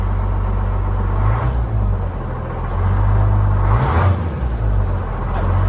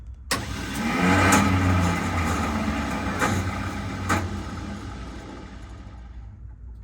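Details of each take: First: That Detroit sounds good. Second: Retired 1979 fire truck with two-stroke Detroit diesel, sat for years, on weak batteries: engine turns over sluggishly in a labored surge that fades, almost rolling backwards, without catching; slow cranking, starter later banged on.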